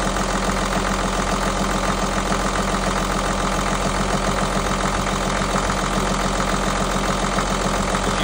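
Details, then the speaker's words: Perkins marine diesel idling after a failed lift pump was replaced and the fuel system bled: an even, steady clatter at idle with a slight sputter, running smoothly. "I think she sounds real good. There's a little sputter. Running nice and smooth."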